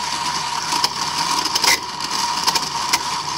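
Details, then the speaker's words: 1995 Mercedes S320 non-ASR throttle body, part 0001415725, bench-tested before repair with vacuum applied. The plate gives a thin steady screech with hiss and buzzing caused by a failed internal clutch coil that is not holding the plate, plus deteriorating wiring. "now moving the plate being that you have vacuum being drawn we have the screeching noise this is pretty amazing stuff because usually it doesn't work like this but in this case somehow it got into this very bizarre mode where it's semi-energized so this is very very strange but it is the definitely a clutch coil issue"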